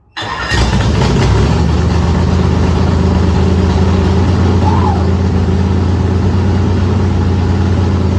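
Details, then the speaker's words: Factory stock race car engine on first start after priming oil pressure, with the water pump still disconnected: it catches and settles into a steady, even idle with a smooth drone. There is no vibration or shake. "Heck yeah. [laughter] No vibration. Oh my gosh. I DON'T SEE A SHAKE."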